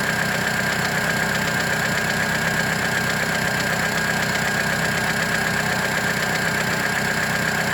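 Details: 2008 Mitsubishi Lancer idling: light regular tick once per engine revolution, not per cylinder firing, from the belt side of the engine; owner first suspected an exhaust leak, cause unknown.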